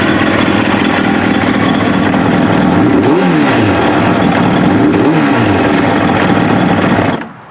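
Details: Kawasaki ZX7R race bike, FCR41 flatslide carbs synced, fuel screws leaned from 2 to 1 turn out, warmed up: steady four-cylinder burble hunting gently about 1250–1500 RPM before shutoff; acceptable.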